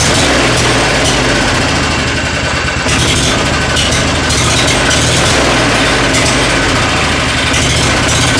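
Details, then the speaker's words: Lawnmower bought for $10, set up as a mulching mower, pull-started after cleaning and reassembly: its small single-cylinder engine runs steadily with an even putter and no misses or knocks; the motor runs properly, though the mulching function doesn't work. "Seems to be running properly, although it's set up as a mulching mower and it's not working properly, that part of it. But anyway, the motor's running."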